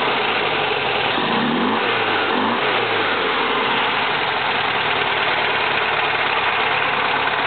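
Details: 1971 VW Type 3 Fastback flat-four, static timed and vacuum advance fixed: hollow, loping idle then brief rev; idles unchanged with plugs 1 and 3 disconnected, dies with 2 or 4 off; running on two cylinders, cause unknown.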